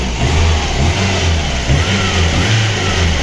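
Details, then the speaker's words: VAZ 2115 1.5 injector engine after new spark plugs, wires and ignition module, suspected camshaft knock: smooth even idle, no knocking, only purge valve clicking; head and pistons fine, injectors likely never cleaned. Normal idle. "Нічого в нас не цокає, тільки адсорбен клапан. Тут у нас все тихенько. Поршньова нормально працює, ГБЦ нормально працює."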